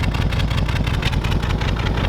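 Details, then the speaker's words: 1932 Ford roadster's flathead V8 idling outside. A low, quiet, even burble with regular pulses and no ticking or knock; nice and quiet, though the mufflers make it way too quiet at idle. "very nice and quiet engine which is great I definitely have to do something about the Mufflers this thing's way too quiet at idle"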